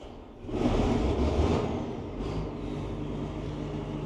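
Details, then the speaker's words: 34-year-old 4-wheel-drive TR96 combine, diesel, cold start after sitting: cranks briefly, catches within a second, settles to a steady even low idle with no knocks or misses; fired right up, healthy. "All right. You know, fired right up. Sounds good too."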